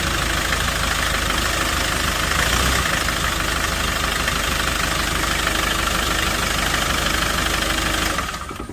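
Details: Hyundai Porter 2 diesel with engine knocking, vibration, white/bluish smoke and blowby, suspected from a leaking fuel injector washer: a harsh clattering knock about three a second over a rough, unevenly shaking idle, then it dies away at shutdown.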